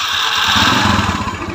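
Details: Yamaha Mio scooter fitted with Shogun CDI and ignition timing changed, previously rough and weak: short burst as the engine catches and runs up with a fairly even beat. Starts cleanly; normal start.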